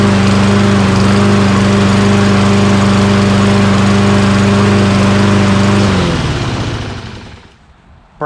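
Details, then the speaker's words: Toro Recycler XT675 mower with Kohler engine: steady drone for six seconds, then revs sag and it dies. Fuel starvation means fuel fills the carburetor bowl too slowly, so it stalls after a bit. "you're running it right drains all the gas doesn't have time to catch up because the fuel is taking so long to fill the bowl and it stalls after it's sitting for a bit"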